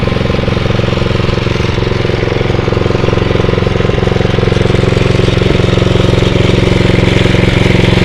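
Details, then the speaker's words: Atco Royale B24E cylinder mower single-cylinder engine, carb worked on, running partly on choke, steady chug that dips briefly when the drive engages then recovers cleanly; runs healthy under load. "you hear it's like when you engage you see the ribs just sort of do go down a little bit but then um it just picks right up and seems to be okay so I'm quite happy with that"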